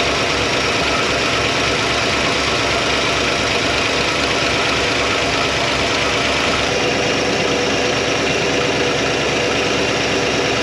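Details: 1957 Chevy Bel Air, likely a 283 small-block V8, garage kept since '76, warmed up with the thermostat open. A steady, even V8 idle with a smooth, unbroken drone and no knocks or misses sounds healthy, though it is leaking somewhere.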